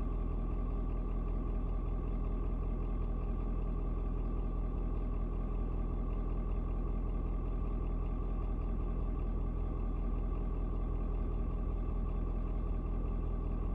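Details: Ford Super Duty 6.7 diesel after a 56°F cold start: deep, smooth rumble at steady low idle after a slight rpm drop, no knocks or hunting; owner unsure if block heater turning off; normal idle.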